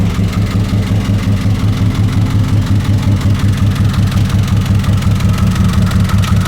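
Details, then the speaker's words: 1999 Honda Odyssey brought to a transmission shop as a transmission problem; it could barely move under its own power. At idle there is a light, even internal engine tap about three per second, suspected to be the engine, not the transmission. Unconfirmed. "this is a 1999 Honda Odyssey sound like the engine is tapping inside there they brought it here to the transmission shop stating that it needed transmission doesn't sound like that to me"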